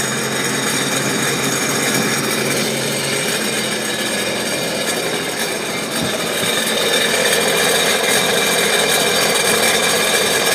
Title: Seadoo Sea Doo RXP X 255 RS normal rattling noise while out of water